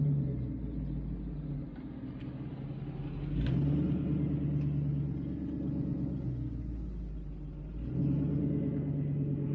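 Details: 1966 Mustang with a 4.6L modular V8 swap on its first fire with the new 2.5" straight-pipe exhaust and downward dumps. Deep steady V8 burble at idle swells evenly with throttle blips.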